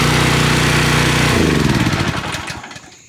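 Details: Generac 2700 psi pressure washer small engine just after carburetor replacement; runs with a quick, even beat and no misses, then winds down smoothly at shutoff, sounds healthy.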